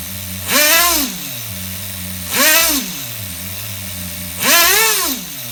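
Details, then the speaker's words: HPI RS4 Nitro F150 RC engine bench tuned with no airflow, after lowering the idle screw: steady buzzing idle, blipped three times, a clean single-stage drop each time. The idle creeps up afterward, so it is still rich up top. "you guys hear that nice single stage idle there not doing too bad for sitting here on the bench with no airflow going through it"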